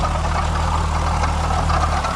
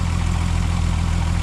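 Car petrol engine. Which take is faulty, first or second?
first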